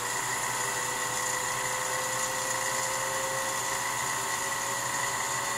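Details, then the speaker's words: Rebuilt, watercooled Leybold Turbovac 150 turbomolecular pump on a sputtering setup, spinning up from acceleration to normal mode: a steady high whine rising slowly in pitch, with slight shaking during acceleration; it is running normally. "so basically when it goes up to speed it will switch to it will switch to normal from acceleration oh you can hear it spinning up"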